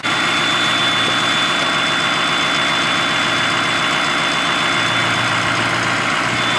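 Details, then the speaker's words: Inherited family Ford Powerstroke diesel truck at idle. A steady idle under a constant high jet-like turbo whistle, same as remembered: normal, healthy turbo. "let it run for a little while just like i remembered same noise sounds like a jet yeah it sure does reminds me of our rds turbo it does"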